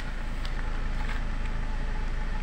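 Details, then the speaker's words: Nissan X-Trail T30 petrol engine after repair: steady, even low hum with no tapping or pinging; before, it knocked when hot, burned oil, blew white smoke, ran rough and lacked power, with the knock and power loss blamed on the spark plugs. "ya suaranya juga sudah halus ya teman-teman tidak ada suara tuk tuk tuk tu tuk seperti kemarin Alhamdulillah"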